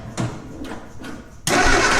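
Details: 1965 Austin Healey after years of neglect, with starter fluid applied: slow uneven cranking strokes about half a second apart, then a loud rush with no firing rhythm; cranks but won't start, fuel starvation; spark confirmed.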